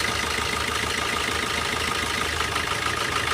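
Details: Four-cylinder diesel car with injector four disabled again through an OBD2 scanner app. The idle is uneven with a lumpy beat about three times a second, and the sound changes completely because that cylinder isn't firing.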